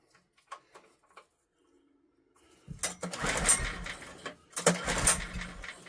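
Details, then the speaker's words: Old Honda generator, barn find stored 20 years, no air filter, choke on: two short pull-start bursts with weak, uneven pops; tries to catch but won't run. "Hang on. Do you know, I think she's trying."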